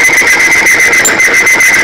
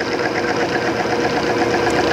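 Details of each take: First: Timken OK load test of 10W-30 oil, bearing specimen loaded with increasing weights; piercing, steady high squeal with a faster pulsing edge as the bearing seizes from lubricant film breakdown and does not recover. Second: Timken OK load test machine with 10W-30 oil and STM-3 additive, just after seizing under added weights, weights removed: steady dense mechanical rush with faint even ticking, grinding fading; contact settling and running smoothly again.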